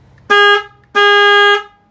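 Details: 2020 Harley-Davidson FXLRS, 12 V, after replacing the stock horn with a Wolo 310-2T Loud One low-tone horn; two short, firm blasts of a deep, steady tone, each about half a second, clean and even: normal horn sound.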